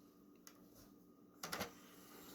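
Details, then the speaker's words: PS2 after repair of disc tray that closed immediately after opening: short motor whirr and soft clunk, no grinding or stray clicks, tray no longer goes back in; normal disc tray operation. "that sounded a lot better it doesn't make any of those weird noises anymore it's nice and reliable it's not going back in immediately like it was before"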